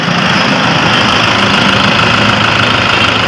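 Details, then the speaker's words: 2012 Toyota Innova after alternator clutch pulley replacement, idling with headlights and air-con compressor engaged: steady even hum, no whine, squeal or rattle; charging 14 volts; alternator noise gone. "And guys, 14. Yan. Tapos guys, wala na iingay ng alternator."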